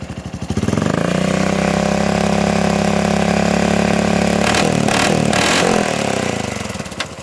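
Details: 2007 Honda Foreman 500 ATV single-cylinder engine idling and revving with a rough burst of knocking mid-run; clunking heard under the front cover, seemingly from the centrifugal clutch side. Cause suspected, not confirmed.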